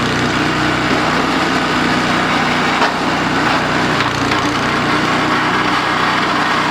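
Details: DR RapidFire PRO-XL log splitter, just back from the shop, small engine at full throttle under load splitting dried cottonwood: steady high-pitched drone with a loose metallic rattle and woody cracking as the ram stalls in the log; cause unconfirmed.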